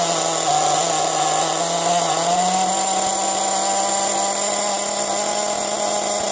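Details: Nitro RC car engine after being unflooded and oiled, restarted: a high, even buzz at steady speed with no sputtering or surging; it runs cleanly.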